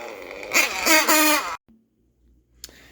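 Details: Nitro RC engine with two-piece tuned pipe: high raspy engine runs loud and open about a second then cuts out, the tuned pipe blown off the manifold coupler; fix is cleaning coupler, pipe and manifold.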